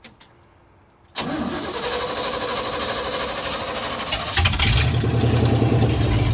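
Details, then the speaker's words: 1987 Chevy square body short-bed pickup, un-muffled straight headers, clogged fuel filter found, fuel pump run off separate battery: several seconds cranking, then fires into loud uneven run that won't idle; owner suspects distributor; hard start. "There it goes. It's doing something. Doesn't want to idle. I think the distributor's kind of messed up, so."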